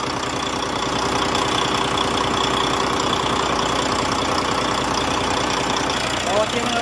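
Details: Volvo truck diesel, likely D13; even idle with steady beat and no valve tick; normal idle.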